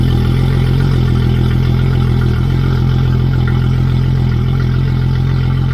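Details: Yamaha F225XB outboard just installed on a 21 ft pilothouse boat, fresh 20W-40 oil, running out of the water: loud steady low drone with even fast pulse, no knocks or misses; idling cleanly.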